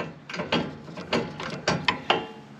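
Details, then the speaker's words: Walker zero-turn mower implement-mount linear actuator: irregular ratcheting clunks over a strained whir; ball screw balls believed worn out ("toast"), the actuator rather than the motor at fault. "yeah i think those balls are a toast we'll try to try to line it up with that we'll stick it back on again uh i don't think it's the motor i think it's the the actuator unfortunately this is"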